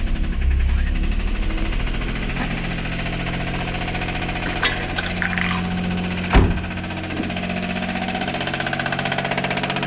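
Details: Daihatsu Mira Gino L700S at idle with the accessory belt removed to check: fast rattly ticking over a low hum, no belt whine; abnormal engine noise, source not yet found.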